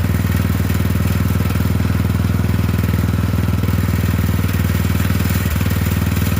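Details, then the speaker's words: Poulan 12538 XT riding mower, 12.5 hp single-cylinder, 38-inch deck, final run after new carburetor fitted, brake on: steady putter about four firing pulses a second, even and unbroken; repair done, normal idle. "All right. So anyway, we got it fixed."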